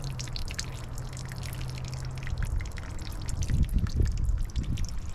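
Irregular drips and trickling of oil falling from the seized engine, no engine running; oil is leaking out somewhere.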